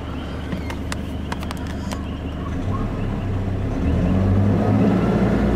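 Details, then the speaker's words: Diesel with turbo, after a new alternator, idling at about 800 rpm after five minutes, then revved: low steady rumble rises smoothly, no high-pitched squeal as heard before repair; belt quiet and healthy. "I'm gonna give it a little riff from here and you could hear before a real high-pitched squeal yeah I know 800 rpm"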